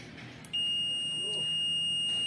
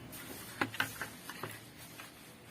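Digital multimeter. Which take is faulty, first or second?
first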